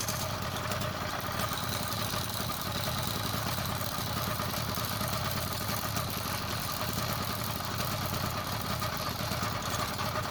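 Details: Motorized bicycle two-stroke kit engine buzzing with a busy rattling clatter: the worn chain has bad links, causing wobble and slap. Sprocket alignment was verified fine and the pinion was checked.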